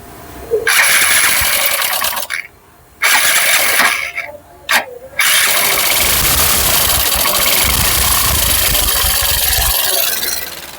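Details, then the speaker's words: Hero Super Splendor BS6 motorcycle with badly dirty throttle body; after stumbling start attempts it catches and runs raggedly and unevenly; misfire from fouled throttle body and injector. "अब इसका sound सुना आपने और गाड़ी की condition देख लो और ये गाड़ी BS6 है और इसको हम ओके करेंगे और इसका हाल कितना बुरा है थ्रोटल बॉडी का आप ये देखो"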